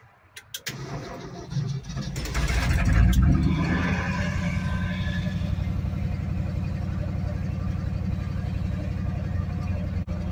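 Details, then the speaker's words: 1965 Ford F-250 pickup that sat five years, two-barrel carb with manual choke: catches after a brief crank, flares, then settles into a steady, even idle with no knocks or misses, running cool; normal idle. "she's saying she's running as cool as a coat not a bad truck honestly a lot of work"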